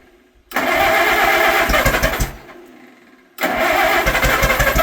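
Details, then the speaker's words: Old Allis Chalmers tractor, barn find stored about 20 years, with the original crank start, on its first start after the motor was cleaned out; catches with sharp popping bursts, dies briefly, then runs rough with pops; backfire on start. "Whoa. That backfired. Pretty promising though."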